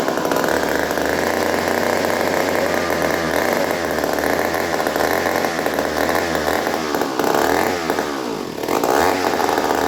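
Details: Old 1950s McCulloch 35 chainsaw, points checked, spark confirmed, fueled: a steady high two-stroke buzz holds even revs with a brief dip near the end; runs fine.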